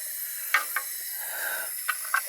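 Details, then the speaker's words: Steady hiss of water spraying, with drips and splashes, from a leaking Harvard pressure relief (pop-off) valve beside a well pump and water heater; the home's water system was slowly losing pressure and had air in the lines. "There's the leak right there. Is that all it is? Look at that, that's all it is. So I gotta find a cap or something for some kind of blow-off valve."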